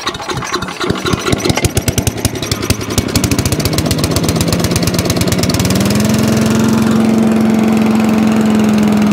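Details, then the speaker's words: Allen chipper leaf shredder small engine, stone cold, started on choke after the carburetor was ultrasonically cleaned to fix starting issues: slow uneven chuffs speed up and smooth within seconds into a steady, even run. "turn it onto choke let's see if it actually start up for us it wouldn't start off its own back"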